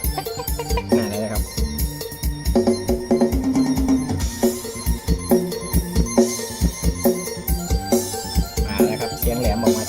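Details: Repaired Goplay mini speaker, which had lost treble on one side with slight crackle, plays music with bright, clear highs over bass and drums after the part was replaced: normal treble output restored.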